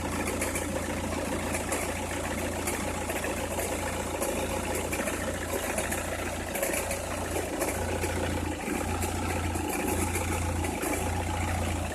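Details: Opel Meriva, cold engine at idle: irregular dry crackle about once a second over a steady low hum, only when cold or at very low revs, stops once warm; noise localised to one side, cause unknown.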